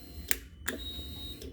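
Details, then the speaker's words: 2013 Yamaha R6 no-crank diagnosis: two sharp clicks at key-on then a brief thin whine as the fuel pump primes normally. "so the pump is priming now if we go to start it I don't know if it's going to come up on camera"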